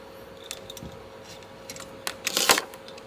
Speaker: Nah ya, jika sudah bunyi berarti menandakan bahwa si termostat itu udah off ya.